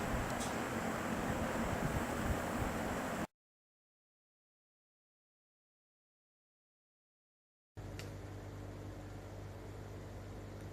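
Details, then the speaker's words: GE box fan after repair of a worn single bearing that had let the rotor drop and hit the stator; now an even, airy whoosh with a faint steady hum, no rubbing or ticking, running smooth. "running smooth there we go"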